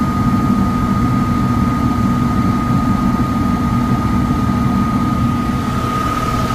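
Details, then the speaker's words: Likely downstairs furnace, fan-not-turning-on complaint: blower startup gives a loud steady low roar with a thin whine, no grinding or ticking; tech thinks bearings sound clear but loud, suspects overamping, and will check the capacitor. "I think the bearings sound clear, but they're pretty loud on startup. We're gonna check the capacitor."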